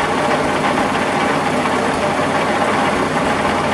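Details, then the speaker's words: Early-1950s Massey Harris 30 tractor, cold start after sitting months: loud continuous idle with a loose rattle from the worn clutch throwout bearing, not replaced when the engine was out. "now can you hear that rattling and carrying on in here that's my throw out bearing"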